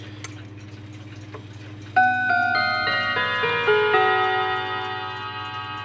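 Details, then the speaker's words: W. Haid clock with November 1973 Hermle 1050-020 balance-wheel movement, plastic snail and motion-work, running again after stopping: soft even ticking, then clear Westminster/St. Michael chime tones descending and decaying cleanly; normal ticking and chime. "Sounds just the same as ever. Westminster. St. Michael."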